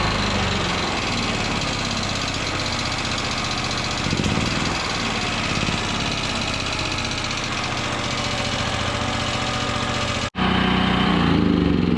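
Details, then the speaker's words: Generac GP5500 generator, found with sludge-thick oil and left sitting one to two years: sounds fine when started cold, but as it warms up a light uneven knock ticks through the steady drone at a few per second. "so I'm not sure how that's sounding on the camera but when I first started this thing cold it didn't sound too bad but as it warms up she starts to knock a little"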